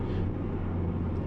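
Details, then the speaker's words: Mazda3 with a previously repaired front end, highway road test: steady low road rumble, no clunks or rattles, front suspension quiet. "Yani şu anda Otobana çıktık hem Bir arabayı diyor oğlum Hem de bir 15-20 dakika turlayalım diye şu an Herhangi bir problem yok"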